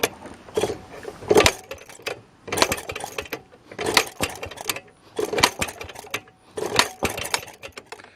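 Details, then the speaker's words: Maytag Model 92 engine on a Maytag 90 washing machine after kick start: uneven firing bursts with gaps and surging, stumbling; air bubbles reveal an intake air leak at the base gasket, where old sealant failed, needing a new gasket. "oh yeah here's a good way to tell something wrong see air bubbles watch right here"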